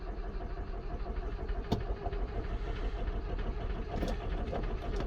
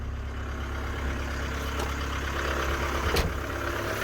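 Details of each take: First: 1993 Ford Transit camper diesel, sat untouched for weeks, losing power with heavy black smoke: cranks, catches and settles into a rough, uneven idle with irregular knocks; hard starting, cause not yet confirmed. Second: 1993 Ford Transit camper diesel, was losing power with heavy black smoke, after EGR-related repair: starts easily, steady low rumble with even running and no misfire; normal healthy idle.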